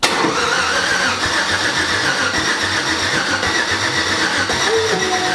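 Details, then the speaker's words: 1987 Chevy S10 with freshly swapped LS engine, first start attempt: even starter churn at about two and a half pulses a second, engine spinning freely but never firing; crank no start, with the gas pedal not yet fitted. "She's just spinning. It's working. Nice. What? We forgot a component."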